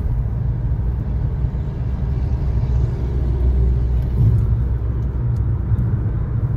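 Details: 2013 Chevy Sonic, 75,000 miles, on a road test after replacing the front wheel bearings and lower ball joints. Only a steady low road rumble at speed, with no growl or hum building: the wheel bearing runs quiet.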